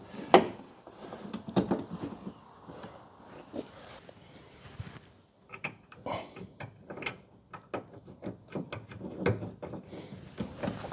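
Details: VW Caddy van sliding door after replacing the broken lower roller, opening and shutting with clean latch clicks and a light glide, no grinding or rattle; it had been stiff, rattling and damaging the sill.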